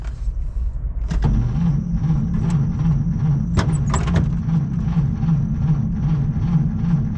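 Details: 1937 Chevy Master Deluxe coupe, last run about 1.5 years ago, on a weak battery. The starter cranks slowly and unevenly and the engine never fires; it is possibly flooded.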